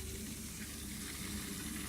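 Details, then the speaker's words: Water-cooled PC loop after overhaul, filled with about 600 ml: pump powered on and off from a converted power-supply tester to purge air. Steady low pump hum under a fizzy, crackling gurgle as trapped air works through the coolant loop; no leaks seen. "just give that another flip on again and yes it just works out all the air bubbles"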